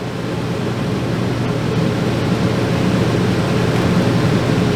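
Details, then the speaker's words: RV air conditioner, camper sat unused for years: steady, even fan rush (fan drawing 2.6 amps) with no compressor hum; relay has power in and out, compressor not running, judged dead. "Yeah, the fan's pulling 2.6 amps. But the compressor either isn't running at all or it's pulling no amperage."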